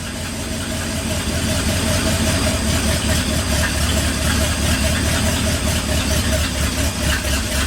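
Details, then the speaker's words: 1959 Ford F100 special delivery panel truck V8, not yet warm, idle lowered from about 1,400 rpm, vacuum advance changed: uneven lumpy idle with irregular beat and hunting rumble; may need a tune-up, possibly ignition timing. "it might once it warms up it might run a little better it might need a little bit of a tuneup mhm I don't think it sounds bad though"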